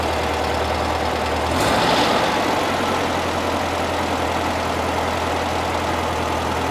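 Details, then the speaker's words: 1975 fuel-injected VW Beetle flat-four after intake boot replacement, steady even low idle with no misses, knocks or hunting; normal idle. "Well, compared to the last video, it's running great."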